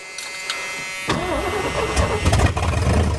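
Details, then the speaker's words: 1973 Ford Mustang Mach 1 V8 restarted after sitting, battery reconnected and fuel added; owner feared corroded points. It cranks briefly and catches at once, settling into a rough, rumbling idle: a healthy start. "let's see what we got wow come on come on oh that fired right up"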